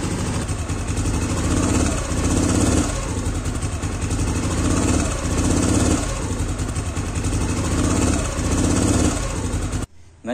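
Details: Yamaha Aerox scooter CVT, complaint of knocking when throttle first opened, traced to worn CVT case bearing boss: throttle blipped about every two seconds, revs rise and fall cleanly, no clatter from belt drive. Normal CVT running.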